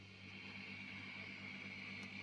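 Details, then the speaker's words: Laney Cub 12R valve amp with all controls flat out, after a fix for screeching and hum caused by the paint-insulated, ungrounded chassis halves (now bolted with serrated washers): quiet, smooth hiss with a faint low hum. "just a little bit of smooth noise now with everything flat out I'm really pleased with that one"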